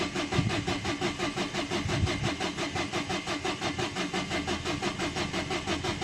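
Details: 2011 Dacia Sandero Stepway, 1.5 dCi diesel, with a rail pressure sensor fault code. The starter churns steadily at about three pulses a second for six seconds and never catches: cranks, no start. The cause was still unknown and the car was towed.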